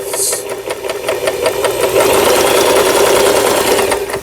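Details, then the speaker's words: Janome-made Lion Jem mini sewing machine, about 25 years old, after repair with parts replaced: steady light needle ticks about three a second and clean motor hum during dense satin zigzag edge stitching, running smoothly and quietly. "여기 보시면 이렇게 옷감의 가장자리를 물어 주면서 바는질 했던 기계 아주 소 큰 소음 없이 각종 부품들 모두 교체되서"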